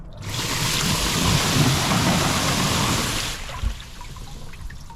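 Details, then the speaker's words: Jacuzzi pump 2 after replacement with a new DXD-320-E pump (old one from 2011 buzzed, rusted axle): steady rushing water and even pump hum on refilled tub; normal running, repair successful. "and it's okay everything seems to work perfect again so that's how you replace a pump of a Jacuzzi"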